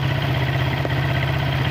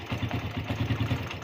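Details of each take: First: Suzuki Satria FU after fixing a reversed carburetor diaphragm spring (it was hard to start in the morning and died on initial throttle): now starts with one kick; steady, even single-cylinder idle, no hunting or misses; normal idle. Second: Suzuki Satria FU carburetor motorcycle, hard to start in the morning and dying on initial throttle: normal at idle and low rpm, but opening throttle gives quick uneven firing, coughing and a sharp bark; cause was the carburetor diaphragm spring installed upside down.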